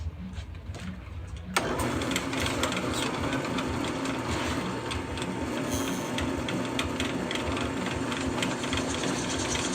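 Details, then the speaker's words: Harbor Freight drill bit on a home-made liquid-cooled drill press, after drilling over 300 holes: motor hum rising into steady gritty cutting noise with even pulsing; bit still cutting cleanly. "so I want you guys to hear it so you can hear what the drill bit sounds like after drilling over 300 holes"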